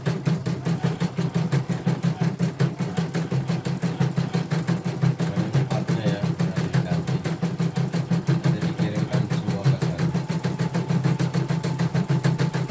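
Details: Portable embroidery machine from Sekayu, South Sumatra, after mainboard replacement, LCD and touchscreen rework and tension set to 1. Regular mechanical pulses about three per second, even and unbroken, no grinding. Running normally.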